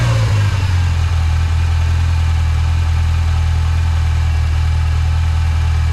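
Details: 1986 Mustang SVO fitted with a 1994-95 SN95 5.0L throttle body and a cleaned IAC: settles into a steady, fast idle that never drops; the bracket bolt holds the throttle slightly open, so idle is high.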